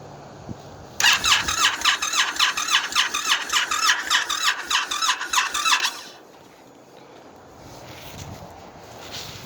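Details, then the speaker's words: Brand new Indian FTR motorcycle in cold weather: about five seconds of rapid even starter whirring that never catches; cranks but won't fire, and Indian told the owner it needs at least 50 degrees to start. "After numerous attempts to start my brand new motorcycle, which Indian informed me that the bike needs at least 50 degrees to start."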